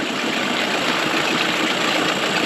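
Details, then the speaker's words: 1999 Mercury 9.9–15 hp two-stroke outboard, after carburetor rebuild, idling in neutral while idle mixture screw is turned out from 1¼ to 1½ turns; buzzy idle sags and slows, running lean with too much air, so screw is turned back in. "getting a little too much air into it so we're gonna twist back in"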